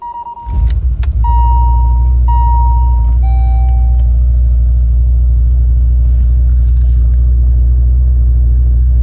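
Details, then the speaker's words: 1986 BMW 535i E28 with the old coolant temp sensor unplugged: engine settles into a steady, even low idle on its own without throttle, though it still wants to die when given quick throttle. "That's beautiful. That is beautiful. No throttle. Idling all on its own."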